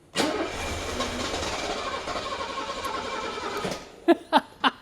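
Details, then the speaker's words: A 1976–1985 Bosch K-Jetronic engine cranks steadily for about 3.5 seconds but never catches. Control pressure is under 2 bar against a 3.4–3.8 bar hot spec, and the warm-up regulator is still cold after 10 minutes. A failed heating element is suspected. "How many of you out there who have worked on these K-Jetronic engines have not heard this sound? So if your fuel pressure, which is controlled by the warm-up regulator, is off, you can't even get these engines started."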